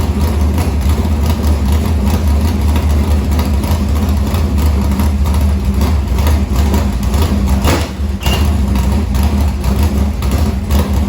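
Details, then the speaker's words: Morgan Machine-built open V8 (about 358 cu in) race engine in a Harris car, EQ heads, likely Edelbrock Victor Jr two-barrel intake, started after sitting a week and a half to refill an unhooked fuel line: deep, steady lope with even lumpy cam rhythm, no knocks or ticks; normal idle. "we're gonna go ahead and crank it just to make sure we get fuel up into the fuel line for where we had it unhooked"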